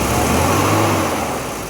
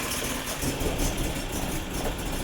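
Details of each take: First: BMW E30 M10 engine after misfire repair; smooth even note holding steady, no stumble or knock, stable at all rpm. Normal running. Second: BMW E30 M10 engine, misfiring and shaking suddenly after about 5 km of driving, won't rev at any rpm; uneven shaky idle with choppy stumbling exhaust. Misfire.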